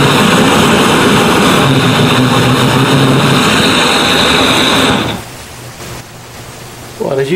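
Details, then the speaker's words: Restored 1930s blowtorch, possibly Montgomery Ward, tank cleaned and seals replaced, half-filled with Coleman camp fuel, about 10 pumps, burner preheated; loud steady roar for five seconds, then drops off sharply; burner running strong and even. "can see it's a little bit hard to light, and I'm definitely new to this, but after hearing that sound, you can definitely see why they called them a blowtorch."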